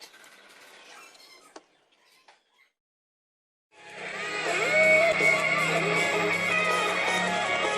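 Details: Laptop speaker after the torn diaphragm was patched with double tape: music plays clear with no crackle or buzzing, just thin on bass.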